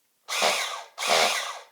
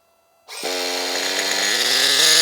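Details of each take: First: Team Associated RC10GT nitro engine spun on a starter box with reversed polarity, no spark plug, fuel or oil: two short bursts of smooth, even whirring with no catches or binding. The engine turns over freely. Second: Team Associated RC10GT nitro RC car, engine primed and glow plug lit, first start after slipper clutch work: the engine revs with a harsh, strained buzz that holds back rather than spinning free. Owner suspects the slipper clutch is too tight.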